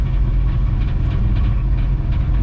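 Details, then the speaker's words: Ford AU Falcon drift car with a newly installed 2.5-inch exhaust: deep, even rumble with a soft burble as the throttle closes; exhaust note healthy, apart from a rattle from a hanger touching the spare-wheel well. "apart from the rattle I don't know if you guys could hear but it's burbling and that sounds really good"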